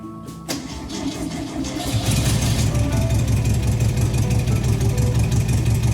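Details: 1971 VW Bus Kombi flat-four with new exhaust, air cleaner and throttle return spring fitted, restarted after dying on the first throttle touch; catches in half a second and settles into a steady, even idle.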